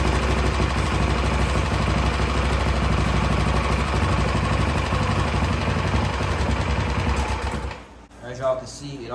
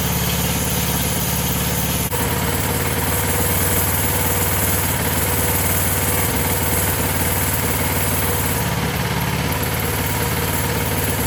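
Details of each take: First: Coleman CT200 minibike with a Predator 212cc engine, run on starting fluid: sputters unevenly for about seven seconds, then dies; it won't hold a run and the carb needs cleaning. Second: Coleman CT200 minibike with Predator 212cc engine, new VM22 aftermarket carb, new clutch and jackshaft chain: small single fires up and settles into an even putter with no misfires or surging; clean, healthy idle.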